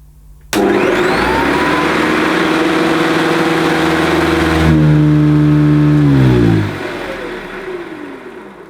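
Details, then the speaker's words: Hoover Decade 80 upright vacuum cleaner imported from the USA and run through a converter box, first switch-on: motor spins up sharply to a steady hum with a clean whine, then winds down smoothly when switched off; normal, healthy motor startup. "well that sounds okay to me"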